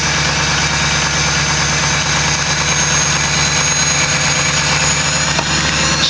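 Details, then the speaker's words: Ford 6.0 Powerstroke diesel, cold start without block heater after glow plug cycle: loud, even clatter holding a steady raised speed in high idle mode with no misses or knocks; normal cold high idle, to be run about 10 minutes before driving. "there's our high idle mode."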